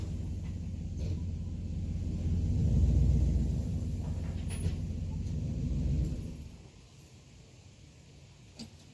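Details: 2011 Cadillac STS salvage car at first start after purchase: low, steady engine rumble running evenly for about six seconds, then a clean shutoff; sounds healthy.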